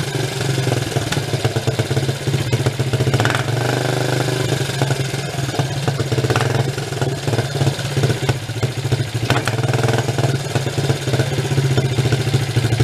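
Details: 1983 Suzuki 125 single-cylinder three-wheeler ATV, choke off: unsteady rough idle with irregular pops and spits; mixture screw too far out, running lean, no good window found.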